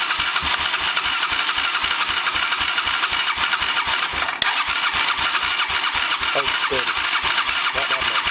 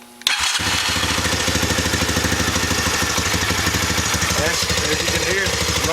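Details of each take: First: Honda Recon 250 (TRX250TE) ATV after engine rebuild, first start attempt: starter churns at about four pulses a second with faint sputters, no catch. The carburetor wasn't getting fuel; the fuel line was pulled off and drained. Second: Honda Recon 250 (TRX250TE) after engine rebuild with a bored cylinder and fuel starvation fixed: catches on the starter and idles steady and quiet, no ticking or knocking. Slight smoke expected until residue burns off.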